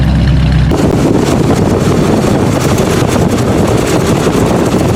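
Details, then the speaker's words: Car that sat for two weeks, started after three pedal pumps: loud, ragged idle with an uneven beat and occasional stumbles, still missing when revved; engine misfire at idle. "and here's the misfire and if I rev it it's running but misfiring don't know if you can hear it but this definite miss there"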